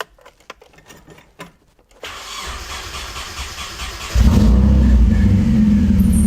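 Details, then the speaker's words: Supercharged KA-swapped Nissan 240SX after an ignition upgrade from a Ford wasted-spark system to sequential coil-on-plug: short crank, catches at once and settles into a steady, even idle with no misses. It started like it always did. Normal start and idle. "so everything's shaking yeah it started up like like everything was as it always was"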